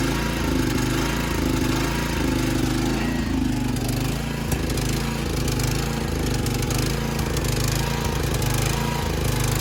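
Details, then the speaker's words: Old Montgomery Ward lawn tractor single-cylinder: steady chugging with loose, irregular knocking. It misfires and shakes at low revs; the owner suspects a cover moving on worn engine mounts and wants a new spark plug. "All the way revved up, because if I rev it down, it kind of starts to misfire a little bit and shake. So I do want to get a new plug for it. Something knocks real bad when it's like revved low, but I think it's just that cover like moving around in the shot mount."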